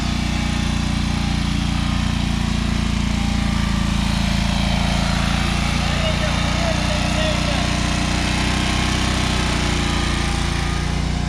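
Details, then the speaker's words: Free John Deere 425 all-wheel-steer garden tractor, first run after pickup with no coolant in the radiator; steady even low thrum, no knocks or misses; running normally. "so the answer to can I get a free John Deere 425 running is yes I'm so happy that that started up"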